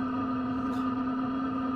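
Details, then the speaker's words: Sherp ATV Webasto parking heater warming the vehicle on a cold start, heard from outside: steady loud droning hum with a higher whine above it; normal, it gets really loud and then calms down once up to temperature. "i don't know if you can hear that but it gets pretty loud actually on the outside gets really loud and then it'll calm down after the whole thing gets uh"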